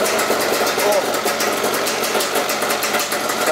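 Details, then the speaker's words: Yamaha Zuma bugeye two-stroke with a Polini 70cc kit and new Yasuni R pipe, carb cleaned after it was badly clogged, running with no choke: crisp, even, steady buzz with no misses or bogging, very loud from the pipe. Normal running. "this no chokes baby this is seriously this bike is running so good right now"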